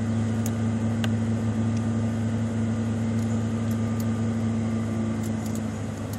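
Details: 1995 Ford Mustang GT V8 (OBD1) during KOER engine-running self-test via jumpered EEC self-test connector: RPMs shoot up two to three minutes while codes output; steady raised idle with even low hum, no knocks or misses, normal fast idle.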